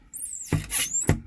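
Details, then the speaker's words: New 2024 Winnebago Solis 59p, about 3000 km and one month old: cabinet door squeals as it swings with two dull thumps from a faulty hinge mechanism. "so something in the mechanism is not as it should now"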